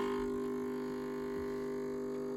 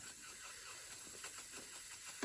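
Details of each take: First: Gaggia Viva espresso machine that steams but gives no hot water: steady, even pump buzz that never changes pitch or labours, running without drawing water; the cause was a blocked jet, clearable by unscrewing it and cleaning with wire. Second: Gaggia Viva espresso machine that makes steam but not hot water: soft, steady hiss of steam from the steam side, working normally; a blocked pipe inside is suspected, and the real cause was a dirty jet needing cleaning.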